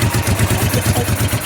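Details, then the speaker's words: 1988 Honda Bros 400 twin, brought in for rewiring, carb main jet set to 100: starts easily, steady even loping idle with no misses or knocks; slight overfuel smell noted; normal idle. "Ayos pala no. Eyful start pala eh. Madali ng i-start."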